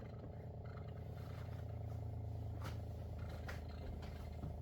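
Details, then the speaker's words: Water First countertop reverse osmosis purifier, restarted after unplugging, filtering water: quiet, steady low hum with faint soft ticks, no rattle or strain; normal pump running. "All right, so now it sounds like the machine is going to filter water. You can hear it working."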